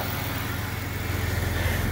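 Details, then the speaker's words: Police-model Jeep Cherokee XJ, dead for six months, idles steadily and smoothly with no misses or knocks on a cold, windy day, right after its first start following crankshaft position sensor replacement; normal idle. "we are actually sitting in a jeep that hasn't started in six months it was a doa xj and she started after we replaced the crankshaft positioning sensor"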